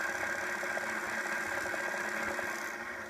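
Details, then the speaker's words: KitchenAid stand mixer during speed adjustment, both adjustment screws turned in: even motor hum with rattly gear drone easing off as the planetary slows; speed set too slow. "and you can hear it slow down so going in reduces the speed and you can see that turning really slowly now that's too slow"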